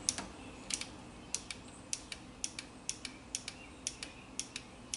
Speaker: can hear you're really clicking so you know it's energizing the the relay so what's actually drawing our battery is this a control side just a coil inside of the relays energize all the time